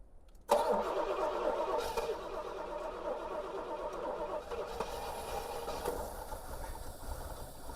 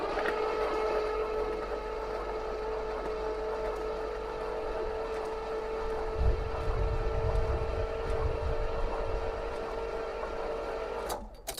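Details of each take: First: 1973 Pontiac LeMans, first start since 1989 (30+ years) once spark and fuel were restored: catches at once and settles into a rough but continuous idle. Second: 1973 Pontiac LeMans, cylinders soaked with transmission fluid, fresh battery with charger on boost: starter cranks easily with a steady whine for about ten seconds but never fires; compression uncertain; no spark suspected, condenser wire found disconnected.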